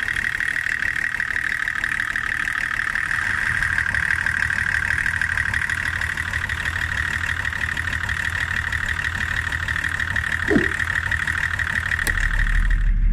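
Diesel idles with a lumpy, shaking beat around three per second and a steady high whine; failing injection pump quantity adjuster.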